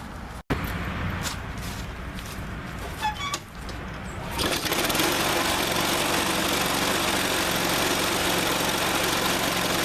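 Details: Honda lawn mower that would not start, after fitting a new BPR5ES spark plug with fuel switch on: a few quiet seconds, then it catches around four seconds and holds a smooth steady drone; normal running.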